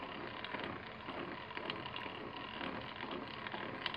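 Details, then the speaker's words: Honda GL100 (GLK) engine opened up, originally noisy at the clutch side: irregular dry "krek krek" crackling clicks as the clutch side is turned by hand; the primary gear looks new, and the sound suggests it is worn or loose. "Bagian kopling kotor dan bisa dilihat gigi primer terlihat baru juga. Dan suara yang berisiknya itu dari sini ada suara krek krek krek ya."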